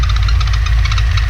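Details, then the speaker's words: TVS1900 supercharged petrol engine at idle with a rapid, light ticking over a steady low rumble; not the belts, owner suspects it comes from the supercharger, unconfirmed. "this is the noise that I have going on I don't really know what it is"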